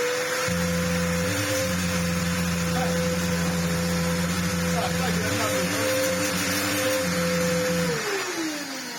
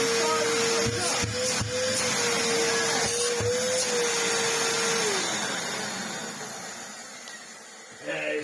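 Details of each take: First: Samsung SU-2911 Jet Propel Light bagless upright vacuum at its first test before servicing: steady motor hum with a thin high whine that sags and winds down at switch-off, a noise from below and no suction. Airflow blockage suspected, not confirmed. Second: Samsung SU-2911 Jet Propel Light bagless upright vacuum tested after reassembly, with no filters fitted: strong, steady motor whine with a firm rush of air, pitch level before it winds down at switch-off. Airflow restored, running normally.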